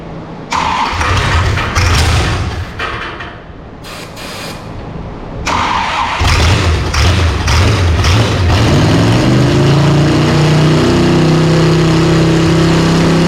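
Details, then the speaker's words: Former 1970 Dodge Charger racecar being revived, battery charged only about five minutes after clicking and clutch troubles: several cranking bursts, then it catches and settles into a steady deep even run; starts and runs fine. "Yeah! It runs! It's alive! Runs and sounds like all of maybe 250 horse, if that, we'll see."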